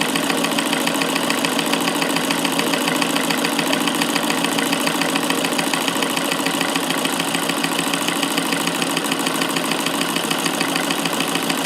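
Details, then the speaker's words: Davis Vertical Feed sewing machine electrified with motor on a dimmer, after bobbin mechanism adjustment: fast, even whirr with steady stitch clatter, no hit or heavy knock, no dropped stitches at higher speed; running smooth and quiet. "for this machine here how smooth and quiet it is now since I've adjusted the bobbin mechanism so there's no hit and I can speed up before and it's not dropping any stitches it's just sewing"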